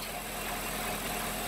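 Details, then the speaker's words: Engine idling smoothly and evenly after shutting an open valve on the catch can drain line that had caused a vacuum-leak-like high-pitched whistle; no whistle or hiss now, sounds perfect. "I shut it and there's no noise whatsoever no high-pitched whistle so that's what was wrong with it so now it sounds absolutely perfect"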